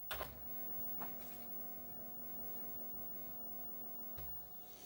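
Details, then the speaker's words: Commodore 1581 3.5-inch floppy drive (1987) loading Donkey Kong Jr.: quiet steady hum with a couple of isolated clicks and no stepping chatter, drive working normally. "Drive activates done if you can hear the drive can't hear it steppin it's just humming along"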